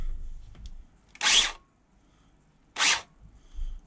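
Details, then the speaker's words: Ryobi ONE+ CPL1800 cordless planer after replacing the drive belt and blades: two short bursts of high, even whirring, starting and stopping cleanly with no rattle or belt slip; runs nice and smooth. "that sounds nice and smooth"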